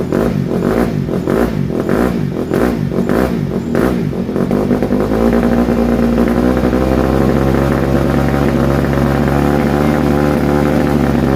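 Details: 2007 Honda CRF150R single-cylinder dirt bike after reassembly, choke off: a few choppy blips settle into a smooth, even beat with no misses or knocking; runs cleanly, though the carburetor still needs fine tuning.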